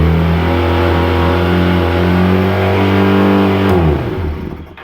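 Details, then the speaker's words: Honda CB400T motorcycle after carburetor drain work: engine holds a high, steady buzzing tone far above normal idle, then drops away on shutoff; idle running too fast, owner suspects idle set too high or throttle misadjusted, not confirmed. "Yeah, it's not supposed to idle at $6,000."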